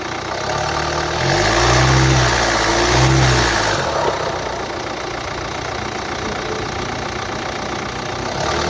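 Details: 2011 Hyundai ix35 (F5D14), 2.0 L D4HA diesel, 184 PS, 180,999 km: it starts and settles to idle with an odd steady rhythmic clatter around four per second, an abnormal engine noise caused by a defective engine control unit.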